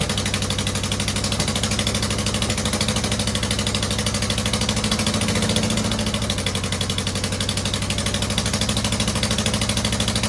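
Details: 2009 Subaru Forester X EJ253 non-turbo, second start after rebuild with remanufactured heads: uneven, lumpy idle with an unsteady pulse and faint hiss. One airbox or intake hose was found unplugged and another misrouted, letting in unmetered air (vacuum leak).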